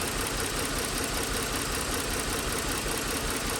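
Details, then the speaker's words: 2009 Lincoln MKS 3.7L, code P0305, customer reports vibration: uneven idle with an irregular stumble two or three times a second; misfire from a failing ignition coil on cylinder 5, confirmed by oscilloscope. "está la falla de la bobina ya que la computadora se está controlando en la bobina pero ahí la bobina está interrumpiendo el control obviamente porque tiene fallos"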